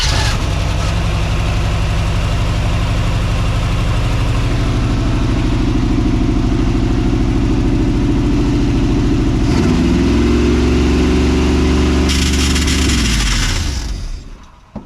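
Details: 1979 Chevrolet C10, probably 350 V8, first start in years after fuel pump issues: deep even V8 burble at idle, short rev blip, then shutdown; healthy running.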